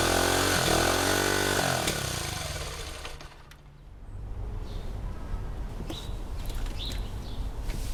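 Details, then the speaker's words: 1971 Honda CT90 after rebuild and carb cleaning, ignition timing and valve clearance checked good: the engine revs rough and uneven, then sags and nearly dies to a ragged, lumpy idle; carburetor issue still suspected. "We got the bike to run. We have ignition timing and the valve clearance and everything internally on the engine seems good. I'm pretty sure that we're just having a carve issue."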